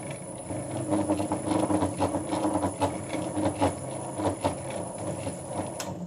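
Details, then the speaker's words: Vintage Karger lathe with the motor started briefly during threading work. Motor hum under irregular rattling knocks. The lathe rumbles even when turned by hand, and the owner suspects the bench or the way the motor is mounted to it. "And even when turning by hand, you can hear the lathe rumble a bit. And I'm starting to think that the problem might be in the bench, or the way in which the motor has been mounted to the bench."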